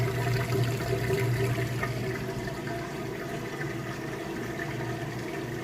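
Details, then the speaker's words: Kenmore top-load washer on a heavy-duty cycle with a heavy jeans load, draining after wash before switching to rinse spin: steady low pump hum with water rushing out evenly, no grinding or rattle; normal drain pump operation. "it's done draining all the water out it switches over to a spin on the rinse cycle"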